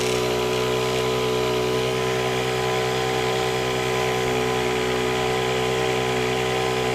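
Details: Honda WJR4025 backpack sprayer, GX35 four-stroke petrol engine, spraying high; smooth, high, steady drone holding speed under load with no misses or rattles. Praised as a smooth Honda sound; healthy normal running under load.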